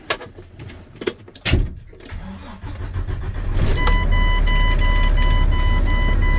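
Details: Freightliner Cascadia diesel after a vehicle speed sensor install, started on a jump box because the batteries were dead. Keys jingle and the starter cranks briefly, then the engine catches and settles into a steady, even idle under a beeping dash chime; start-up success.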